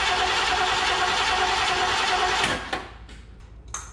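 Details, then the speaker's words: 1969 Mercury Cougar Sport Special, 351ci Windsor 2V V8, sat about 20 years: steady starter cranking about 200 per minute, no firing, then stops; no fuel delivery, inlet hose full, owners suspect shot fuel pump. "there's fuel in here fuel in what the outlet or the inlet in the inlet like that hose is full so yeah maybe our pump shot"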